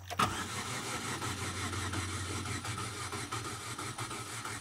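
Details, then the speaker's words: Chevy Aveo that ran with the exhaust manifold glowing red, lost all power and won't start after severe misfiring; cranked: uneven, lopsided cranking, never fires, couple cylinders low on compression, suspected cylinder wash. "Sounds like a couple cylinders are low on compression."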